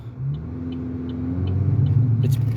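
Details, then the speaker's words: Chevy Malibu with grinding brakes, in reverse at near-full throttle: engine bogs into a deep heavy drone while the car barely creeps, because the brake pad is locked up on the drive wheel, seizing it. "what's going on here is the one wheel that really pulls this car forward is the one that the brake pad is locked up on it"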